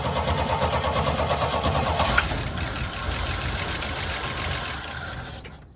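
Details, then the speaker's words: 1972 Chevy C10, after vacuum was used to pull fuel to the line: cranking to fill the carburetor bowl, the starter churns at about three beats a second but it never catches. Fuel is not getting through the carburetor. "Doesn't seem to want to run on fuel, does it? Let's see. I can't tell if it's squirting. It's probably not. Try that. Try again. It's not getting through."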